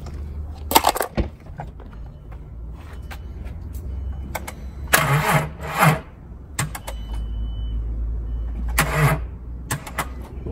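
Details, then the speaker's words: VW Mk4 petrol engine idling low and lumpy as if it had a big cam, from a vacuum leak through a small hole at the back of the intake manifold. "car was sounded like I had a big old cam in it so ice we're here in the air just sucking like me wouldn't that noise vacuum leak"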